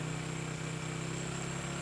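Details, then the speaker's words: Honda Karisma with newly replaced carburetor that still drips fuel; the new carb was fitted without adjustment, air screw fully closed. Uneven, lumpy "grebet grebet" idle with a stumbling low thump that never settles; rough idle, later set by finding highest rpm. "setelannya nggak enak ya, suaranya grebet grebet grebet gitu ya. Astagfirullah, ini setelan angin paling nutup pol."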